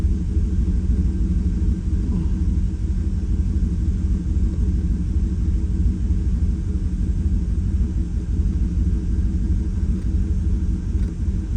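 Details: 2018 Chevrolet Silverado V8 at idle, injector six swapped to cylinder one to test whether the miss moves: uneven stumbling beat about three times a second, steady miss persists; likely more than an injector, cause unconfirmed.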